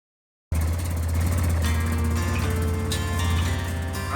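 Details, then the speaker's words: Yamaha Rhino 660 side-by-side idling after broken exhaust stud replaced (engine removed), new exhaust system and new header crush gaskets: steady low even thrum, no ticking or puffing, much quieter. "Much quieter."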